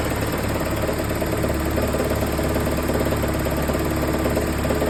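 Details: 1993 Toyota 22RE: steady idle with a faint, irregular knock under a heavy even drone. Rod knock suspected, possibly bottom end, not confirmed.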